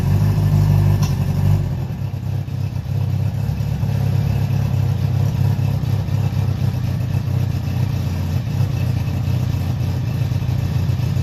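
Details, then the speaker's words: Honda CB700SC Nighthawk inline-four after carb cleaning for clogged pilots, non-ethanol fuel, 4-into-1 exhaust, airbox off, throttle cables unhooked; firm low burble settling to even idle after brief blip, no stumbling or popping; normal running. "I just want to see how it runs as is without this stupid bulky airbox thing, which is a pain in the butt to get on with these the old air boots and line up properly and all that jazz."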